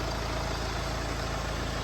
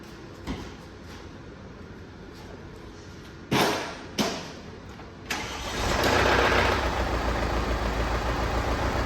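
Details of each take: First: Mercedes E250 petrol engine after repair of knocking (damaged piston replaced, engine overhauled, timing reassembled): idles smoothly with an even low beat, no knocking or misfire. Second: Mercedes E250 engine with a seized piston: cranks, fires and idles roughly with the whole engine hunting; two short revs bring out a rough knocking clatter from the bottom end. Engine to be removed and overhauled.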